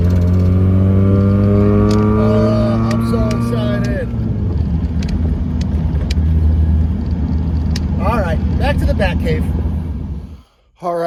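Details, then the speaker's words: Miata drift car after a new muffler replaced the old, rattling one. A smooth, even exhaust drone through the rev change with no rattle or buzz; the exhaust sounds healthy. "that was awesome the car sounds great I'm so excited like I finally this thing sounds good"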